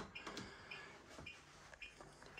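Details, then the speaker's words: Acorn 130 straight stairlift parked off its charge strip: short high-pitched beeps about every half second, continuing about 40 seconds before standby; off-charge warning. "you can hear it beeping the reason why that's beeping is I'm off the charge point"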